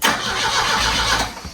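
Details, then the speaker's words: 1973 Volvo 144, cold, cranked with the coil unplugged after an earlier start made expensive-sounding noises: short, even cranking whir winding down cleanly with no grinding or lingering whine; starter fully disengaging, normal cranking. "Okay. The starter is fully disengaging."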